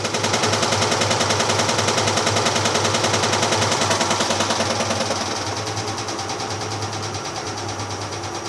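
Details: GE 15 kg washing machine in spin: loud rapid banging, about three to four hits a second, as the tub swings and strikes the cabinet sides.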